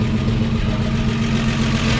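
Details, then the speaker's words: 1953 Chevy 4100 truck on its first run after resurrection, idling on its own with oil pressure and no smoke: steady old inline engine with a loud, raw puffing chuff from a sizable exhaust leak up front. "it does have a pretty sizable exhaust leak up there"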